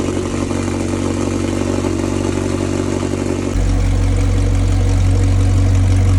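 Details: McLaren 720S V8 after repair of engine failure from high oil temperature at Time Attack, oil primed to about 2 bar; deep steady drone at raised cold idle stepping smoothly lower, no knocking, stable oil pressure; normal cold start.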